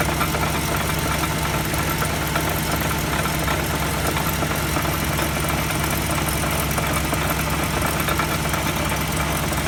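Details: Wheel hub bearing heard through a mechanic's stethoscope: steady rough droning hum with a low growl running evenly throughout; worn hub bearing noise.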